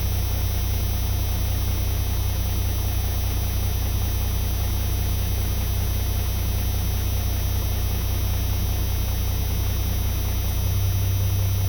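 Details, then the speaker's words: Turbocharged truck at a 400 RPM fast idle with its belt-driven converted A/C-compressor air compressor charging the air-bag tank from intake manifold air; even whir, no knocks or squeals. Healthy running. "And the truck is idling at 400 RPM. A fast idle. I'll turn it on here now and watch this. Truck boost pressure with air compressor."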